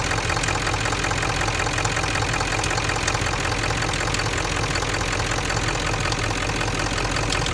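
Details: Ford 7.3 diesel (OBS) at idle: a fast, regular metallic tick, roughly 160 per minute, rides over the usual typewriter clatter; source unclear, metallic ticking.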